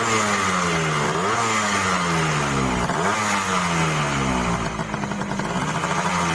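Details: Yamaha RX King two-stroke, test run after replacing the crankshaft seal and fitting an NPP piston; engine oil had been leaking in and causing heavy smelly smoke. Now crisp two-stroke revs rise and fall cleanly, no smoke, smooth-sounding, healthy.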